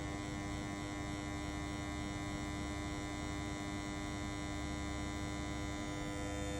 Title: KDK M40KS rumbling noise